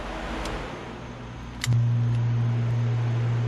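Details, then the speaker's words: 2005 Chevy Corvette with new engine, after upgrading the cooling-fan wiring harness and 40 A relays: fans switched on by manual switch; a steady low hum and whoosh with an even pitch, normal operation. "Okay, so that actually modulates the fan frequency. So basically how fast it spins. So push it up, that's on high. You guys can hear the tone difference."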